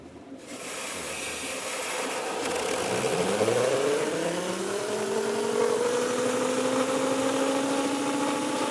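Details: Micro hydro turbine, after resealing the base, fixing gauge drips and sorting the inlet filters: a whir climbs in pitch as the rotor spins up, then settles into a steady, even hum. It runs leak-free into an EcoFlow Delta Pro, which is limited to 150 V input. Normal running.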